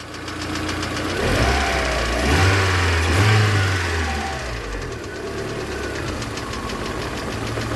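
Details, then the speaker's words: VAZ 2112 petrol engine idling fairly steadily while the ignition module connector is pressed for good contact; releasing it brings back the misfire on one cylinder and a petrol smell from the exhaust. "сейчас нормально работает"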